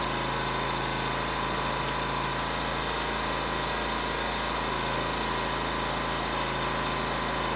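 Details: Ryobi RIG2000 inverter generator just started after a full service (oil change, float chamber drained, air filter checked), auto idle and AC output on: steady, even hum with a constant low drone, no misses or knocks; normal idle.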